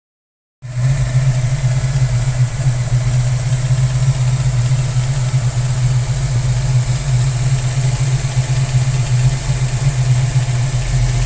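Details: Ford Mustang Fox body petrol engine idling with deep steady rumble and light, loosely regular tapping on top; engine tapping at idle.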